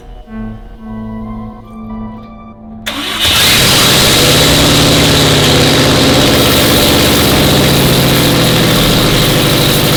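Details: Subaru STI after drivetrain swap, engine reinstalled with new downpipe and catback exhaust, first start since the swap: cranks briefly, catches cleanly and settles into a strong, steady idle with a deep exhaust note over music; normal start and idle.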